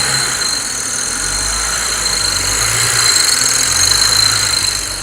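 Steady high hiss and whistle over a quiet idle, swelling slightly as revs rise; something's off, but the source isn't clear.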